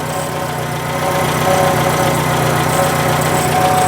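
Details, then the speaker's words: Citroen at idle: rough puffing chuff on each firing stroke, blowy exhaust sound, traced with a stethoscope; exhaust leak at a loose clamp. "Does sound like the exhaust's a little blowy. You thought we've already said that. That's what we started. Yeah. I'm not liking that sound very much."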